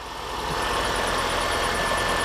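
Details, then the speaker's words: Mini One after a PCV valve replacement, idling in wet weather: the earlier whistle is gone, but a faint high chirp repeats a few times a second from the belt down by the alternator. The wetness is the suspected cause. Belt squeak. "the belt cuz it's wet weather it's gonna squeak"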